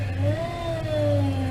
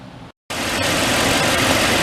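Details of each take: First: 2004 Toyota Tundra, about 215,000 miles, lost power steering; engine revving with a wavering moan rising and falling with revs from the failing power steering pump, no better after purging fluid, pump to be replaced with rebuilt unit. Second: 2004 Toyota Tundra, 215k miles, idling after new power steering pump install and banjo leak fixed with original crush washers; steady even hum, only faint hiss and very slight noise expected to fade, no groan or whine, healthy.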